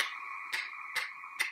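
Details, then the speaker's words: Alfa Romeo Stelvio Quadrifoglio with its battery depleted after four days parked, on a CTEK trickle charger: no engine running, sharp even clicks about twice a second as the initial low voltage seemingly makes the car tick and the interior lights flash. Relay ticking. "but what happened was it just started that it was just you know it would just tick"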